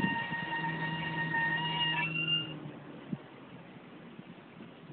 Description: Bmw E90 328i making a crazy noise. Any ideas?